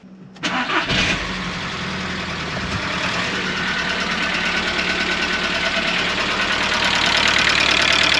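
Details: Audi A2 1.4 litre AUA petrol engine, bought with engine damage, cold start; fast loose clatter over idle, steady with engine speed; previous owner blames hydraulic lifters, piston slap also feared, unconfirmed.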